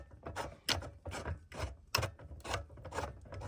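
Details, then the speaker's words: New Arcan 2-ton quick-rise floor jack A20016, release handle bar being twisted: scratchy, rough grinding that loosening the bolt didn't fix; owner unsure whether it needs grease. "So this bar here, it is a little bit rough, and you can hear it grinding."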